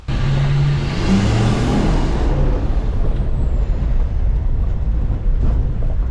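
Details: Hummer H1 with Duramax diesel, first start after sitting 2.5 years on old fuel and used batteries: deep, steady rumble with even firing and no knocks or misses; sounds healthy at idle.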